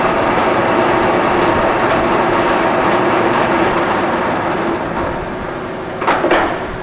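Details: Reconditioned Blanchard 18-36 vertical spindle rotary surface grinder with a serviced table transmission gearbox, run through chuck speeds of 6 to 33 RPM; even mid-pitched hum with no knocks or grinding, table drive healthy.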